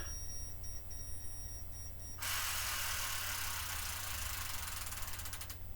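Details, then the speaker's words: Minolta Disc 7 camera from 1983 with its original lithium battery, over 40 years old against a rated 5-year life: light self-timer beeps, then a long, labouring whirr of about three seconds as the motor drive runs sluggishly on the nearly flat battery. "now as you can hear that uh battery is most definitely on its last legs but I think that's fairly impressive going given its rated 5year life span over 40 years later the lithium battery is still managing to chug along a little bit there"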